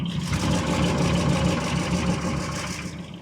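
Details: Cold engine with a remote oil filter, which smokes, leaks antifreeze and shows no codes: idles with an uneven, loping beat and a chattery top end, never settling smooth. Rough cold idle, cause unclear.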